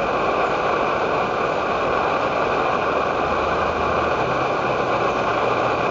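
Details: Edward Hexon backpacking stove on white gas (Coleman fuel), syringe-fed in place of its pump, bringing 500 ml of water to a boil: steady, even hissing roar with no sputter, surging or popping; burner running cleanly at full output.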